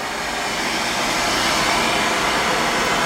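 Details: Carlin oil burner on a Bock oil-fired 40-gallon water heater, after flooding and a new burner motor: even steady roar of fan and flame, no knocks or squeals; running normally.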